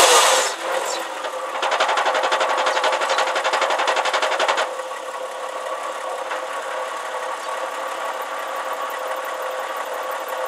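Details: Porsche Boxster 986, clutch changed under 1000 miles ago: idling engine with a steady high squeal and rumble from the gearbox that swells and fades as the clutch engages; quick release rumbles, slow release and driving squeak, gone with pedal pressed.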